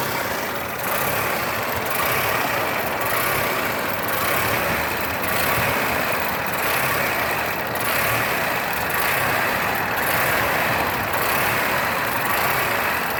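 Engine idling with a lumpy, uneven beat, rising and sagging about once a second instead of running smooth; a rough idle, cause unknown.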